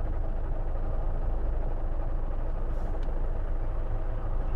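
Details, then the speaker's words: Fiat Scudo camper van idling with a loose, uneven low rattle under the engine note from the gearbox; owner believes the gearbox bearings are going, clutch pedal pressed to try quieting it. "got a rattly gearbox the bearings are going in this gear box"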